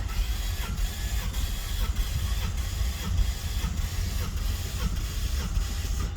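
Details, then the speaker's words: 2019 Ford Mustang GT manual with Vortech supercharger, injectors disconnected for compression test (owner suspected one low cylinder): starter cranks V8 with even chug, each stroke equally strong; gauge reads 210 psi, cylinder healthy. "Okay, so 210, very good. All right, so it's healthy on that cylinder, 210, let's say, very good."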